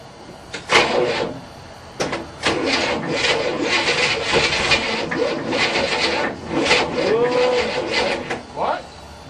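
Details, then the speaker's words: 1967 Cadillac unstarted for 30 years, with new starter, battery booster and two batteries, choke closed, smells flooded: starter grinds the engine over in an even, raspy rhythm for seconds but it never fires; cranks, no start. "all right I think you flooded it we stick a Shriver in it go okay to open it smells flooded here"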